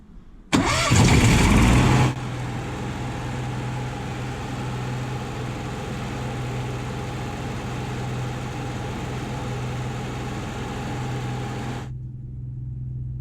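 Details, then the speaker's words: Onan 5500 RV generator after replacing the electric fuel pump (Cummins A047N929) and fuel filter; it had been dying after running intermittently; brief cranking after 30 seconds of priming, catches cleanly and holds a steady even hum, running 40 minutes without sputtering. "you can hear the generator running but we've been running now for about 40 minutes and it's as it hiccup it hasn't sputtered"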